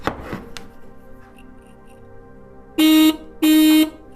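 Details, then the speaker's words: Original Kawasaki dual horns on a 1987 Kawasaki GPZ600R (ZX600A) Ninja during rebuild, powered up: two short buzzy blasts with a thin, nasal low note, feeble and reedy, "like a dead squirrel"; weak horn tone. "So you also got a set of horns that sound like a dead squirrel."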